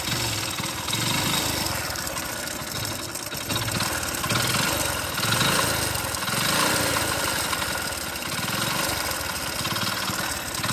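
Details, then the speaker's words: Rough, uneven motorcycle idle with loud clatter and slow surging; the mechanic says this engine is totally worn out and needs a full engine rebuild. "ఇది total engine ఖరాబ్ అయిపోయిన బండి అనమాట."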